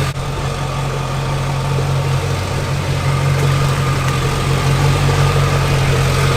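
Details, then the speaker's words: Junkyard LB7 Duramax diesel, 160K miles, first start in a bare frame-and-cab truck: deep steady idle with even clatter, no miss, knock or surge; good, healthy motor. "Sounds good. Sounds like a good, healthy motor. I'm pretty impressed with the quality that we got from the Junkyard."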